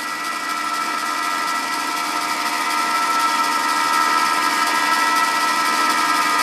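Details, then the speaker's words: Ariston spindle after scraping in the front spindle bearing: even, steady hum with a light regular tick, running much quieter than before, the rattling gone; smooth spindle run. "hier kann man das jetzt ziemlich gut hören der Lauf ist viel ruhiger das plackern ist weg"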